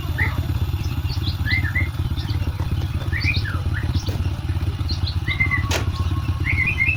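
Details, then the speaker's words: Honda Supra X 125 motorcycle after repair (scored connecting rod and bearing replaced, cam chain tensioner not contacting chain fixed, oil added); steady even low idle thrum with no knocking, smooth versus rough on arrival; normal idle. "Nah, ini setelah kita perbaikin ya dan mesinnya sudah halus berbeda dengan pas baru datang. Oke, bisa didengarkan suaranya sudah halus ya."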